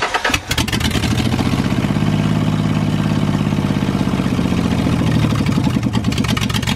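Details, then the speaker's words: Ford Mustang on stock header, stock tune, no O2 sensors or EGR, idling with one spark plug's porcelain broken; lumpy, uneven tractor-like beat with missing pulses; misfire, one cylinder not firing. "she's missing on a few plugs [Music] that thing sounds like a kubota if it had the cylinders all firing it would sound great but"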